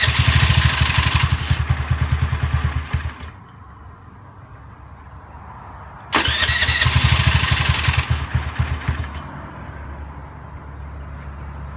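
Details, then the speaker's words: Fuel-injected Honda Zoomer X scooter: starts and idles about three seconds then dies; restarted, runs briefly and fades out again, worse with throttle; stalls after starting, fuel pump pressure suspected. "กับอาการปัญหาที่ว่าสตาร์ทติดแป๊บเดียวเครื่องมันจะดับเองครับ"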